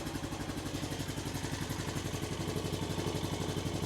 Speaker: From what I can tell, the engine sounds pretty decent. Not seeing a bunch of smoke yet.